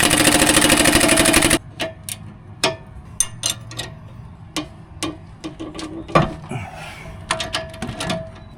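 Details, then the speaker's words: Honda/Acura with clicking noise when turning, misdiagnosed elsewhere as axles; sharp irregular clacks as the loose sway bar link is worked back and forth, floppy clicky joint, worn sway bar link ball joint; sway bar bushings also slightly worn. "Floppy, clicky joint. I want to point out that these sway bar bushings are a little bit worn out too."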